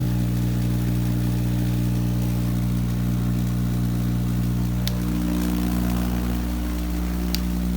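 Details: Vacuum tube Tesla coil (VTTC) making a very loud steady buzzing tone with several stacked pitches, pitched oddly relative to resonant frequency; cause unclear, owner doubts it is grid leak.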